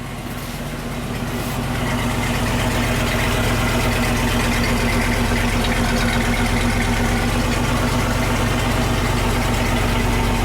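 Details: Land Rover 101 Rover V8 idling after a belt tensioner pulley bearing replacement: even, settled idle with a steady low hum and no squeal or chirp from the belt area; healthy.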